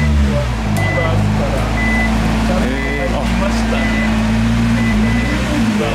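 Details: Nissan R35 GT-R after flywheel housing replacement and transmission solenoid valve work: steady even running, smooth low drone, short electronic chimes, no rattle; earlier rattle fixed, normal running.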